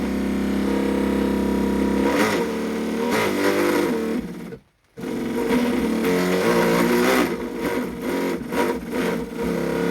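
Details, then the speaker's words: Custom 60-inch RC boat, 12S electric motor driving a 70mm 3D-printed jet drive, after a hardware-store coupling fix and greasing, first dry run: steady whine rising and falling with throttle, no grinding or rattling; spins impeller easily and quiets out. "Throttle neutral, bringing up the throttle. It has no trouble spinning the impeller. It's quieted right"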